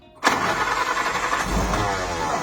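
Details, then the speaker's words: Ford GPW WWII Jeep four-cylinder being restarted after lay-up, points gapped to 0.40, carburetor primed, few throttle pumps: starter cranks evenly a couple seconds, engine fires once with a sharp pop but doesn't keep running. "elle a pété. Encore une fois. Ah. Ça tourne super bien."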